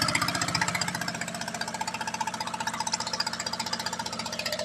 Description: Checking for misfires. The rebuild project seems to be an incredible success!!!